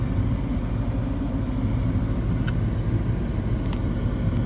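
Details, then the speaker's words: 2015 Nissan Sentra, newly replaced blower motor installed and run at high speed: steady, even low whoosh and rumble with lots of airflow, no rattle or squeal; blower motor working fine. "Now we're having a lot of air coming from there. There you go. That's it. Blower motor working very fine."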